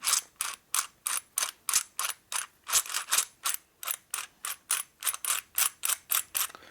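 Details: Rebuilt gear train of a 1961 Harley-Davidson XLCH Sportster, turned by hand; crisp, evenly spaced clicks about three a second, no grind or bind; normal gear rotation.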